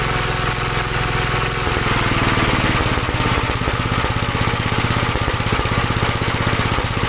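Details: 1956 Gravely L single-cylinder after head gasket replacement and valve inspection: thumps along at speed with irregular sharp pops; no longer stalls dropping from high speed to idle, but popping persists, cause unconfirmed.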